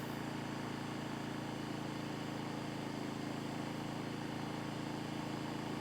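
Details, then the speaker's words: Second of the Predator/Costco Firman inverter generators, fired back on under load: smooth, steady low hum holding constant revs without hunting. Normal running under load; 78 dB at 10 ft, about 70 dB at 30 ft. "We're gonna go ahead and fire this one back on. Plugged it in, you guys can hear that thing fire on significantly."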